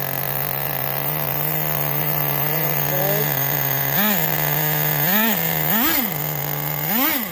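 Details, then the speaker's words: 2006 Traxxas Nitro 4-Tec 3.3 (Model 4809) with rebuilt TRX 3.3 engine, first startups, still needing tuning: steady high buzz with crisp throttle blips up and down. Runs clean, normal running. "He runs like a top. Sounds good, eh? It sounds really good."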